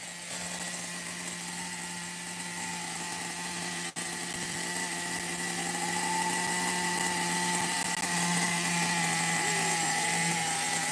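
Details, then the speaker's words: Megatech nitro Razor RC car with a two-speed being restored and tuned: small glow engine idles steady and even but at a rather fast pitch; idle is set a bit high and is to be lowered. "My idle is a little high. I'm going to lower it a little."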